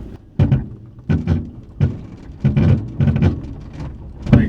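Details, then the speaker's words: 1998 Subaru Forester on used Facebook Marketplace coilovers fitted four months earlier, mic at the rear, driving over bumps. Heavy, dull thumps come in bursts about every second over road rumble: a worn, failing coilover knocking. "so I just listened to the footage and you can definitely hear that bat coilover just conking out that's the only word I can think of right now"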